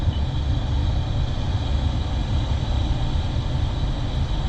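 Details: 2013 Toyota Prius just after replacing its 10-year-old failed 12-volt battery, hybrid system started, shifted into gear: low steady rumble, even level, no knocks, ticks or misses; running normally.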